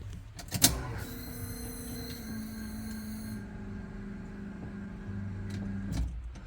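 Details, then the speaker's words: Chevy Vega with LS swap, fuel pump newly wired to key-on: steady electric hum about five seconds then stops; normal fuel pump prime. "I didn't show you you guys didn't get to hear the fuel pump yesterday"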